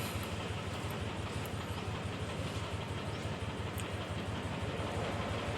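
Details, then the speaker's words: Mitsubishi Mirage G4 idling: low, uneven idle with irregular pulse about three times a second, car shaking, low rpm; OBD2 codes for throttle position, cylinder 1 injector circuit low and cylinder 1 misfire; dirty throttle body blamed. "So yan yung problema niya no. Nanginginig po kasi yung sasakyan. An baba ng RPM niyo. Nanginginig po yung sasakyan."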